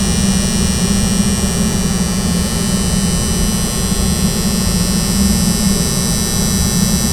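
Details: Air handling unit (AHU) soft starter: a loud, constant, low buzzing hum that never changes in pitch or level, a strong electrical hum from the soft starter.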